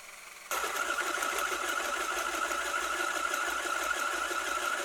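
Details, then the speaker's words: RC car driven with steering near full lock: constant motor whine with fast, uneven clicking; CVD driveshaft joints working at an extreme angle, often just geometry rather than failure, though it can indicate drivetrain wear. "If your RC car clicks when the steering is near full lock or suspension is at full droop, your first thought is probably something's wrong, something's broken. But this sound does not always mean failure, sometimes it's just geometry."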